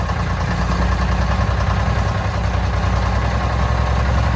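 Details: 1965 Mack B61 turbo Thermodyne diesel, just started on ether after fuel filter change, possible air bubble in fuel line: deep, slow, uneven loping idle, extremely low; good oil pressure; fuel starvation suspected, not confirmed.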